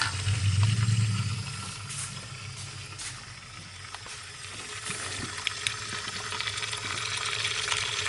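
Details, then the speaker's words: Dodge Nitro with low compression on cylinder 4, leakdown test on cylinder 2, brake cleaner sprayed on the intake valves: fizzing, crackling bubbles over a low air hum as air escapes past leaking intake valves. "I put some of those brake cleaners on my intake Valves and I can hear it a whole bunch of you know bubbling coming out"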